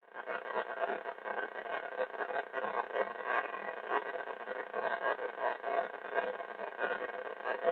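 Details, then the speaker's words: Ham radio receiver in home shack in Oklahoma: constant rough buzzing hiss with pulsing crackly edge; strong interference, source unconfirmed. "Well, as you could tell from that opening clip, I got a little noise here, and I'm in my own shack today, right here in my house, in my living room."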